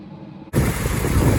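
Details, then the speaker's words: 1987 Ford F-150 4.9 L inline-six, four-speed manual, at idle: uneven, lumpy loping idle with clickety-clack; owner suspects it is running on five cylinders and the motor is done. "and then you can see it's running kind of rough unless i people when i it runs a lot rougher than this you hear that clickety clack this motor's done"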